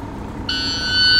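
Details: 2010 International Prostar, automatic transmission, quiet cab: a steady continuous high electronic tone as the shifter refuses the gear despite the brake pedal being fully pressed. Brake lights not working. Suspected faulty brake pressure switch.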